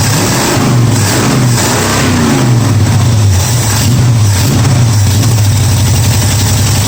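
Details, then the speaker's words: 1965 Mustang V8 on a test Holley carburettor: rough, unsteady beat that surges and stumbles under throttle, firing on only about half its cylinders; owner suspects the carburettor is bad and starving fuel, not confirmed. "That obviously wasn't better. Sounded like the plug wire's off, not getting fuel. Something bad. It's only running on about 4 cylinders."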